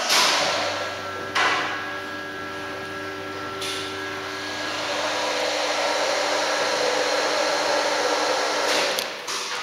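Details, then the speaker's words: Orona OR96 hydraulic lift with dry-mounted pump motor: steady loud whir with a thin high whine on top, constant pitch; the motor sounds in worse condition than it should. "it sounds in bad in condition condition though should making that noise"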